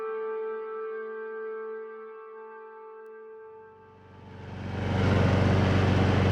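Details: Lawn mower after fixing a broken part and sticking kill-switch cable that grounded the ignition: music, then the small engine catches and settles into a steady, even drone with low hum; normal running.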